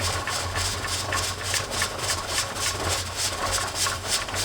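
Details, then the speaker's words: Presto pressure canner processing raw-pack carrots, dial gauge near 11 lb: the weight rocks steadily with even hissing puffs about three or four per second, holding pressure normally before the 25-minute timer starts. "once that has established and it's got a steady Rock going I can set my timer for 25 minutes because that's how long these have to cook"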